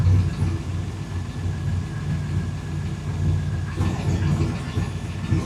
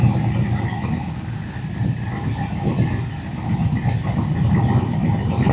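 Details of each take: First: Fuel-injected El Caballero whose injection system has not yet learned. Steady smooth hum, but the idle sits about 1,000 rpm too high on the tach; a way to adjust it is still to be checked. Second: Fuel-injected El Caballero V8 running after a valve-cover oil leak repair, with cardboard underneath to check for drips. Deep, even rumble building slightly as revs rise, steady firing with no knocks or ticks; sounds real good, running normally.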